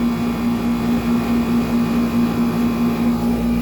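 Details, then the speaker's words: 1995 Tempstar 5000 air conditioner (built 1995, 30 years old), first startup of the season after months idle, about 86°F outside: steady low hum with an even growl and no knocking as the compressor builds pressure; normal compressor operation. "So yeah, this thing's getting the refrigerator flowing and it's getting down to business."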